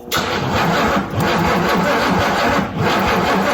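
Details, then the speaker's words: Non-running squarebody GMC truck: steady starter churn with brief dips where it almost catches, but it never fires and runs; a crank-no-start, cause unconfirmed. "we not SP yeah it sound like it tried to actually start didn't it sound like that to you"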